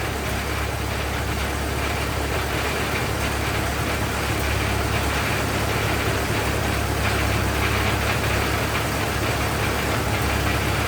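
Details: 1927 Ford TT, new buzz coils, up on a jack, throttle up: low, steady chuffing idle with an even beat, no knock or misfire; a healthy runner.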